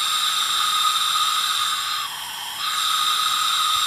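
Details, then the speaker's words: Tecumseh 10 HP engine, leak-down test with compressed air into the cylinder: steady high hiss of escaping air; owner thinks the exhaust valve is not sealing. "think that exhaust valve is not sealing correctly"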